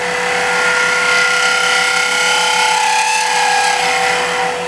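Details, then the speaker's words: Wood lathe turning a needle case, with a fingernail gouge (Ellsworth grind) doing a high negative scrape: a steady, thin singing buzz rides over the lathe's hum. Tool chatter. "Now, if it chatters a little bit, you're going to get some vibrates, you're going to get a little chatter in there."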